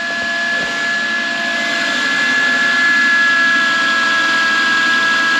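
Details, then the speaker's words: Subaru with EJ 2.2L/2.5L engine idling: steady high whine over the engine from a failing alternator, hot to the touch, with voltage jumping around 10–11 volts and reading 11.8 volts instead of charging. "whining and it's actually hot for the touch, which it shouldn't be."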